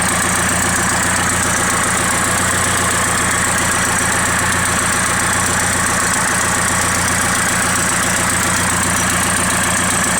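Even idle with a light rapid tick keeping time with the engine, a few per second; could be an exhaust leak, unconfirmed.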